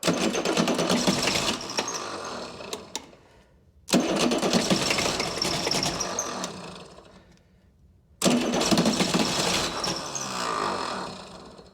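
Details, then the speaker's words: Chrysler (Mitsubishi 6DS70) six-cylinder marine diesel, stored for years in a barn, first start attempt: catches in three short rough bursts and dies each time; injectors not fully bled of air. "yeah they were to crack all the injectors loose again try to re-bleed all the injectors a little bit better and then give her"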